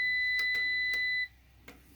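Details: APC BN450M 450VA UPS after its battery ran flat under about 230–250 W heater load (lasted roughly 40–45 seconds): a steady high beep for about a second, then a short click burst as it fails to restart on the depleted battery.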